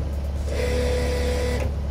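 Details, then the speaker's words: Skid steer mower/brush attachment's hydraulic motor bench-tested alone, gearbox removed, after the right-angle gearbox failed from lack of oil and was rebuilt: steady low drone with smooth even whine, cuts out cleanly, nothing bad heard; normal hydraulic motor run. "okay so i think that one well i didn't hear anything that sounded bad"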